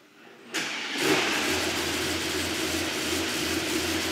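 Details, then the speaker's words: Mercedes GT63 AMG V8 at its first start after a full engine rebuild and oil priming: the starter catches into a loud, slightly uneven idle with a wavering beat; rough running, cause not confirmed. "The car is running a bit rough though. It's not running the best."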